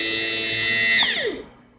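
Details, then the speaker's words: New power window motor for a 2000 Ford Windstar, bench-tested on 12 V from a power pack: high, steady whine that holds even, then winds down smoothly when power is cut. Normal running. "turn it on and it works."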